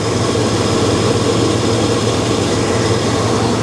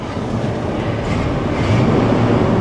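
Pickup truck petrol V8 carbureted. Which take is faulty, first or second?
second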